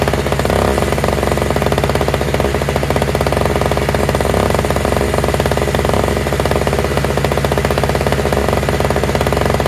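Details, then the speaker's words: Toro/Craftsman single-stage two-stroke snowblower with electric start, running on fresh mixed gas after priming; fast even buzz with a crackling exhaust beat and no misses or surging; all it needed was gas. "oh nice huh again all it needed was some gas"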